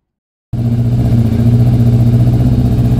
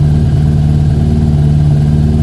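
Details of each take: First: Yamaha Thunderace YZF1000 1000cc: engine bursts into life and runs a little rough and uneven at fast idle, as if starving for fuel; fuel lines thought to be kinked by tank routing, stopping flow. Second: Yamaha YZF1000 Thunderace 1000cc after freeing fuel lines kinked under the tank, warming on choke: smooth, even low hum with steady revs and no stumbles; normal idle.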